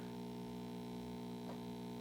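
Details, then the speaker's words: 1960s Zenith MJ1035 AM/FM tube radio brought up on a variac to 120 V through an isolation transformer: steady low hum with buzzing overtones; radio works but a filter capacitor problem is suspected. "okay so it actually works but it sounds like we probably have a capacitor issue"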